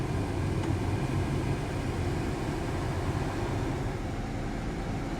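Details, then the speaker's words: Car heater blower with an intermittent fault, owner suspects the relay or a motor dead spot, mic near the blower: steady rushing airflow that eases off when recirculation is switched off, with no rattle or squeal. Normal lower-speed operation. "See how it quiets down? I'm still feeling the heat coming out, but it sounds like it makes the blower blow harder."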